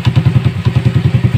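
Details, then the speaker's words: Rusi 100 single-cylinder motorcycle idling after repair, push start working and neutral restored; the old rattle, worst at idle, is gone. Even, deep exhaust thumps about eleven a second with no metallic rattle; healthy, only the exhaust pipe is loud. "ngayon, ayan, tambucho na lang yung maingay, no? Ayan, tambucho na lang yung maingay."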